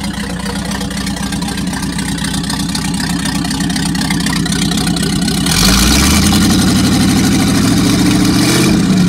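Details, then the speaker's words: Packard 356 marine engine (nine-main-bearing, circa 1950), first run after rebuild, excess cylinder oil cleared out, final adjustment pending: even idle, then revs climb and hold smoothly with no knocks or misfires; normal running and revving. "first run after rebuild so we had lots of oil on the cylinders and that all had to be kind of cleaned out so i think we're getting there now we'll do a final adjustment and be good to go"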